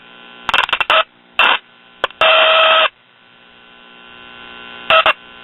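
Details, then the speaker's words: Late-1950s Londala Japanese tube radio, open-filament 50C5 output tube found earlier: quiet hum, then loud buzzing bursts and a high squeal when a resistor, capacitor or other parts under the chassis are moved; intermittent connection, cause still unknown. "when i move that resistor it screams in pain"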